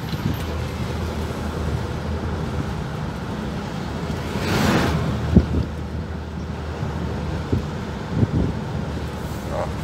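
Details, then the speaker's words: 2006 Toyota Hilux with a fully repaired 1KD-FTV diesel, formerly seized, road-tested gently: steady low diesel drone under wind and road noise with no knocks or rattles, plus a small turbo noise; the engine sounds healthy. "Mas ficou muito bom o som do motor, pegando bem o carro."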